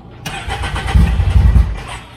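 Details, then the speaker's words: EVO engine after installing 3RI injectors and a wastegate, on the wrong tune. It cranks with a few sputtering pops and never runs: too rich to run until tuned, as expected, with no fuel leaks seen. "too rich to run that's what we wanted that's what we expected we don't see any fuel leaking anywhere all right yeah too rich to run until it's tuned"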